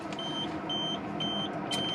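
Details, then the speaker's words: Auto Sleeper Malvern motorhome Dometic fridge manually set to battery (12 V) with the engine off. Four high, even beeps about twice a second over a steady hum: a fault alarm, because 12 V only comes from the alternator with the engine running. "or if i put down the battery it's failed because the engine is not running"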